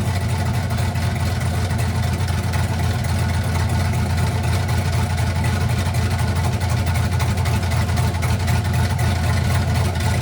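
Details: 1967 Chevy C50 with turbo LS V8, 7875 turbo, Holley Terminator X Stealth EFI, first start: deep lumpy idle with even cam chop about four beats a second, steady rumble, turbo spool audible; healthy.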